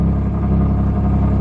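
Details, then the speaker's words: Turbo Nissan 370Z NISMO not reaching max boost, heard from one side as idle rpm dips: heavy idle rumble with a raspy puffing edge, then revs back up; exhaust leak found with smoke machine, cracked crossover pipe suspected. "we're going to hear an excessive amount of exhaust notes coming from this side of the vehicle and then it's gonna rev right back up"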